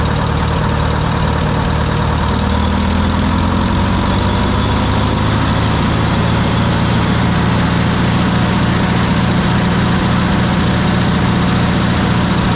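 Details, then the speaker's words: Wisconsin VH4D air-cooled engine on Bandit model 65 wood chipper, repaired after abandonment: steady even low rumble holding speed smoothly, no knocks or misses; starts great and runs healthy. "starts up great um everything seems to run really well"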